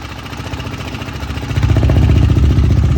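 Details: KTM Duke 390 engine: fast, light ticking about four per second over a lumpy single-cylinder idle; a timing chain tensioner tick.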